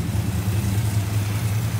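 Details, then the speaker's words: Restored 1967 Plymouth Barracuda convertible, E-code 273 V8 with solid lifters, Commando single exhaust, idling: smooth even beat with no valvetrain ticking; valve lash correctly set. "with solid lifters and to get them to run this quiet it's not really a chore"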